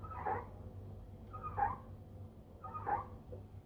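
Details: LG WD-1480TDT inverter direct-drive 8 kg front-loader, six years in use, motherboard and inlet valves recently replaced: rubbing squeak about every 1.3 seconds as the drum slows at the end of spin, no error code; mechanical cause suspected, not confirmed.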